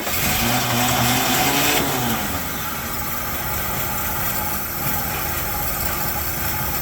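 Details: 1972 Chevy C10 with a 350 V8, sat in a barn 30 years, cold at 29°F, being warmed up: strong rev winds up and drops back to a clean even run, no misses, knocks or rattles; ran so good.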